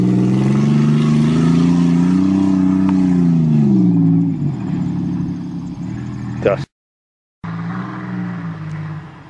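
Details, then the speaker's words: 1990 Chevrolet Celebrity wagon, not driven for a long time, low on gas, driving on the road; engine pulls smoothly with steady low hum, no knocks or misses, sounds healthy. "Other than out of gas, the Celebrity seems to be working pretty good. Sounds good."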